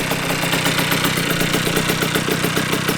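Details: 1982 Honda MB5 two-stroke on first startup after head gasket fix, Dellorto PHBG 21mm carburetor and new Proma GP exhaust, mixture screw untouched: crisp, even idle with rapid popping, no hanging revs or hissing leak; air leak appears fixed.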